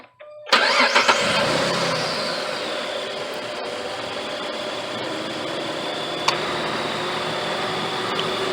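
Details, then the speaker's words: 2008 Jeep Grand Cherokee Laredo 4x4, 3.7 L V6, after replacing tensioner pulley, idler pulley and serpentine belt: engine starts and settles into a smooth, even idle, much quieter, with no belt chirp or pulley rattle; normal idle. "oh she's definitely quieter boys listen to that listen to that engine purr"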